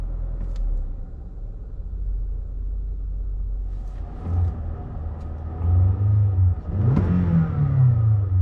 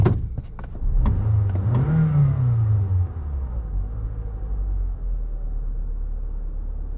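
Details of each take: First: 2014 Toyota Camry, 207k miles, warmed up: revs dropped from raised speed, engine can't hold idle, runs low, shakes hard and stalls. Cause was oily carbon around the throttle body butterfly; cleaning fixed it. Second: 2014 Toyota Camry, 207k miles, warm, after cleaning carbon buildup from the throttle body butterfly valve that caused low rough idle and stalling: a few clicks, a brief rise, then a smooth steady idle just above 800 rpm with no vibration.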